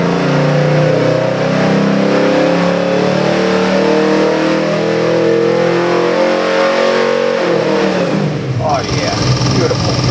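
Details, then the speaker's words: Custom-built Ford 351 Windsor V8 with Holley Sniper EFI for a 1975 Ford Bronco, on the dyno (made about 399 hp, 438 lb-ft): bursts into life, climbs smoothly through revs with crisp even firing, no knocks or misses, then cuts off; healthy. "This happens to be a 351 Windsor EFI engine. We got the Holley on here, the Holley EFI."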